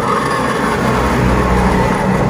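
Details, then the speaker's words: Honda Beat FI digital (2016–2019 type), 44,000 km, engine off: steady whining hum with faint rasp from rear wheel near CVT pulley when wheel is turned by hand; friction felt when throttle released; CVT seal never opened before; worn CVT pulley bearing. "itulah bunyinya. Suara rengekan. Tepat di sini."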